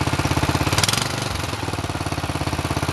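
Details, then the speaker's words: Go-kart small engine cold start on a snowy day, muffler had snow in it: fast uneven light clicking over the firing beat at idle; cold-engine valve tick, no leaks. "oh she's a cold motor you can hear the valve clicking and ticking no leaks though"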